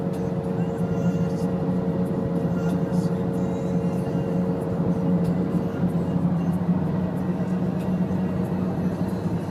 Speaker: Got a bad wheel bearing. Can you hear that sound right there? It's pretty bad.